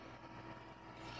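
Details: Office desktop PC (Core 2 E6300 era board): constant loud airy whoosh with steady hum as the CPU cooler fan runs at full voltage because BIOS fan speed control is off; fixed by enabling BIOS fan speed control, rear fan replaced.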